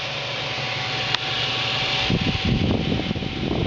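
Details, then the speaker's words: Radeon HD4870 GPU cooler, dual fans set to 100%: loud steady rush of air with thin whine swelling into a rough roar; too loud compared with normal 50%. "you can feel the air blown off from the foot away back to 50% and like I said 50% is where it normally sits at anyways this is too loud and I'm going to have to do something about it"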